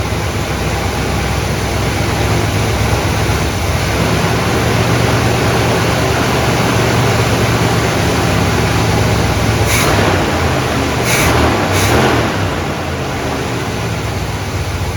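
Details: 1972 Buick GS Stage 1 SunCoupe V8, sat about 6 years: lumpy, hunting idle with brake-clean spray bursts; engine wakes up when sprayed, pointing to a suspected vacuum leak, possibly throttle plate gasket.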